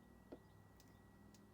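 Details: Dometic caravan fridge on gas, knob held in: faint sharp ticks about twice a second as the igniter keeps sparking and the flame won't stay lit; suspected faulty gas switch.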